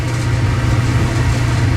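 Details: Clothes dryer running with door open while the heating element glows cherry red then cuts off, owner suspects element or thermostat: smooth, constant deep hum with no knocking or belt squeal; motor and drum run evenly.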